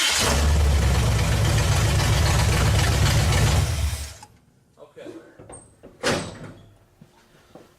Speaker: That fired up really easy.